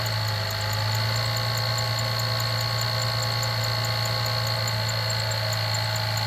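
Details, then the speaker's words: 2006 Jeep Liberty idling: steady rough growl and faint high grinding from the accessory drive, alternator bearings beginning to fail while the alternator still charges. "You hear that? That is the bearings in the alternator beginning to fail. The alternator is still charging, but the bearings in it are beginning to fail."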